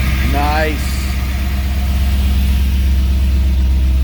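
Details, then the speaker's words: 1964 Chevrolet Impala with an LS swap and a new intake, which makes it sound a little different: a quick start with a rising whir, then a deep, steady V8 idle with even pulses and no knocks or misses. "actually you know what let's start it up you guys haven't heard it in a while the dash is in yeah it does sound a little different with this intake"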